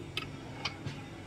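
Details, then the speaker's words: Nissan Patrol (Safari) hard to start: three sharp clicks in quick succession instead of one firm click; starter later found water-flooded and rusted. "Dapat isang click lang eh. Yan po, baklasin natin yung starter."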